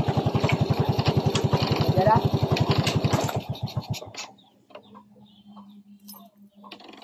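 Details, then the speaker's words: Honda XRM 110 with an electrical problem and a loose spark plug, ignition wire connected directly: small single-cylinder thumps at about 220 a minute, then stumbles and dies within a second when the gear pedal is pressed; stalls on shifting into gear. "yun na nga, namatay nga ang kanyang makina, no?"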